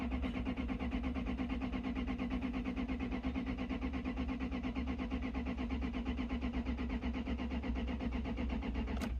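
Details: 1996 Lexus LS400 (UCF20), died on the road sputtering as if misfiring, cranked during a fuel flow test: even cranking at about three compression beats a second for nine seconds, never fires; no fuel delivered at the disconnected line.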